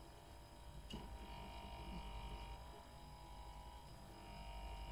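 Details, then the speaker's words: Fridge compressor shakes its loose metal base (condenser plate), giving a steady low hum with a rattly, ringing buzz that stops when the base is pressed or lifted; wedging newspaper under it is a temporary fix. "so here's the compressor shaking and vibrating the whole fridge metal structure by applying some pressure"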